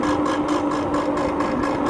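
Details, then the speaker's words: TST R002 1300W electric moped-style bike riding on the main road; over the motor's steady whine, a soft swishing rub pulses about five times a second with wheel speed; rider suspects front brakes. "uh-oh what's that noise uh is that the oh it's my front front brakes making"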